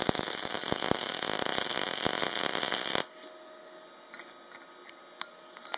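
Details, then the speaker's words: Parkside PMSG 200A2 multi-process welder, MIG on 3mm sheet with light chamfer, 0.8mm wire at 20.5 V and 135 A: even, fast frying crackle for about three seconds then clean cutoff; steady, well-set arc with good fusion. "Le résultat est pas mal du tout, la fusion est bonne."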